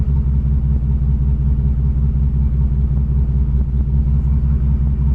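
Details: 1987 Chevrolet Cavalier RS Convertible V6 at idle: low heavy idle with an uneven loping pulse a bit over two beats a second, never smooth; persists despite many parts replaced, cause unknown.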